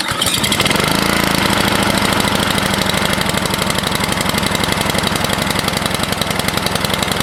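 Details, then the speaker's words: Craftsman 24 snowblower single-cylinder engine cranks and catches within a second, then holds a fast, even beat at full throttle with the governor wide open. It runs normally. "well that makes me feel better that's an RPM it sounds like it'll uh get the snow going"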